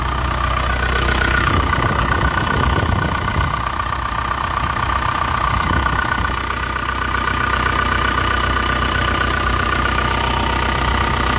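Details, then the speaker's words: 2001 Isuzu Panther LS manual diesel at idle: an even, crisp clatter with no blow-by (not "ngobos"), no stumbling and no rough knock, so the old engine is judged healthy. "kalau ini Mesinnya tidak ngobos suaranya renyah mesinnya anteng tidak bincang kolong-kolong"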